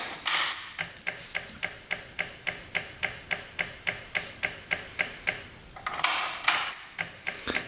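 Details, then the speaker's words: Honda Ruckus scooter (2015 or 2018), non-running; fuel pump tested, steady sharp ticking three or four per second with handling clatter; pump works but flow is slow, only a trickle; fuel looks clear with no water. "It's pumping some. Just keep on going with it. Kind of a slow pump, but I'm guessing these scooters don't need a whole lot of gas. Kind of a trickle."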